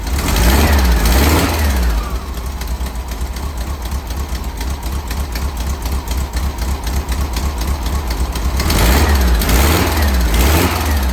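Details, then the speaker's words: 1964 VW Cal Bug budget build, flat-four running after wiring and motor install. Steady, even idle with a quick rhythmic pulse and light exhaust ticking; healthy apart from a couple of minor exhaust leaks. "All right, now for 10 days, we have it running. And you can hear it sounds pretty darn good. I mean, I got a couple of exhaust leaks."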